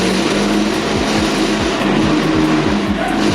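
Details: Honda Beat carburettor scooter after converting the charging system from AC to full-wave DC: repeated quick revs, clean and smooth with no misses. Battery reads 11 V at idle and rises to 14 V when revved.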